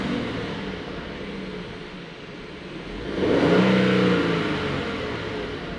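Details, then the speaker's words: 2022 Genesis GV70 3.5L, 25,000 km, P0301 cylinder 1 misfire and shaking at idle: engine revs smoothly to a peak around three seconds and eases back, even with no stumble; no misfire at this moment. "So, I'm going to rest RPM and see if we can get some Visar here as of right now. No misfire."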